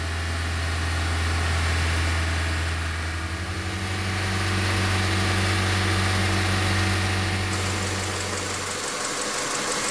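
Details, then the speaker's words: 1997 Honda Accord EX 2.2L after ECT sensor work for P0118, fully warmed at about 197°F with the thermostat open, bleeding air: steady, smooth low-hum idle, a fan whirring in near the end; healthy warm idle. "you can see now that it's fully warmed up thermostats open we're getting all that air out"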